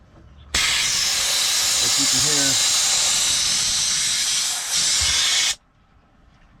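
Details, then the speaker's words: Peterbilt 379 with newly installed custom Grand General shifter top: loud steady hiss for about five seconds then stops dead, air exhausting from the shift valve because the red supply line was put in the outlet. "can hear air just exhausting out of that one. Oh, you know what? I got my lines backwards, y'all. I put my red in the outlet."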